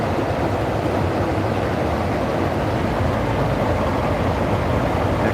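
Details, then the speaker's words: Steady airy rush of the condenser fan with no compressor hum beneath it; the HVAC compressor did not start. "compressor, I don't think it started up though. I ain't hear it. I ain't hear that compressor start."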